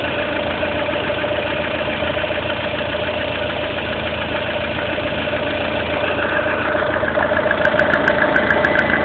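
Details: Lada Kalina 1.4 16-valve engine at idle: steady light tapping about two per second, getting sharper toward the end; internal engine knock, source not pinned down.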